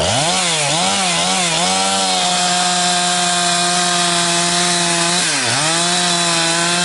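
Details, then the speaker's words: Husqvarna 362XP Special chainsaw with wrong ignition coil and Walbro carb, cutting firewood: high two-stroke scream dips and surges with gargle near full revs, cutting out around 11,500–12,000 rpm; fine near 9,000 rpm; not carburetion, wrong coil limiting revs. "But the minute it comes up into that uh 115 12,000 range, that's when it starts to cut out and then it's gargling and uh I don't even know if it makes it 11,000."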